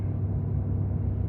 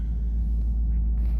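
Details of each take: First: 2018 Ford F350, 6.7 Powerstroke, about 210,000 miles, cold, high idle switched on with parking brake set: steady diesel rumble under loud airy radiator fan roar; fan on while cold, cause unknown, expected to cut off once warm, listed for shop check. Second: 2018 Ford F350, 6.7 Powerstroke diesel, about 210,000 miles, cold, warming up at idle: deep steady rumble with even beat, no knocks or rattles; normal healthy cold idle.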